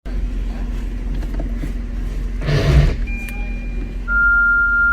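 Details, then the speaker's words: Car running, then a brief, harsh half-second grinding rasp as reverse gear is engaged; the forward gears engage silently. Reverse gear teeth are clashing on engagement. "तर काय मित्रांनो असाच आवाज तुमच्या गाडीतून देखील येतो रिव्हर्स गिअर एंगेज करत असताना"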